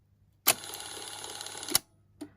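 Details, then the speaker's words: Technics RS676A cassette deck, no capstan motor: separate rewind/fast-forward motor gives a sharp clack, then about a second of thin high whir cut off with a clunk; tape won't wind because of a worn idler. "And the rewind fast forward, separate motor, but it doesn't work, obviously. Idler again."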